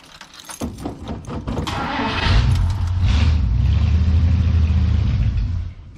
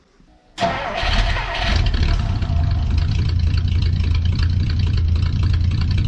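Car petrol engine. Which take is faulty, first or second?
first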